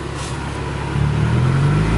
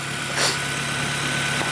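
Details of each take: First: First start after engine reinstall, exhaust open after the catalytic converter with no muffler, idle around 1100 rpm: deep, loud, raw blat rising and falling with each rev, rowdy when revved hard; loud exhaust, no muffler. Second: First start after reinstalling the engine and transmission: even, steady idle slightly on the fast side, no ticking or knocking; engine running cleanly, normal idle.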